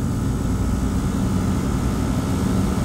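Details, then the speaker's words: Rooftop HVAC unit's compressor during refrigerant charging, turning in the right direction with pressure rising: a steady, even low hum with no knocking, rattle or rising whine; normal running. "compressor sounds good I like it"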